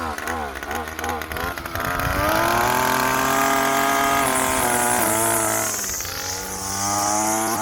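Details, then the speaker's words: 2-stroke string trimmer with electric start, after a carburetor cleaning fixed its no-start, run briefly without the cutter head: a high, buzzy drone that climbs and settles evenly at steady speed; running smoothly and healthy. "Dude, I'm not gonna lie, that electric start's kind of cool."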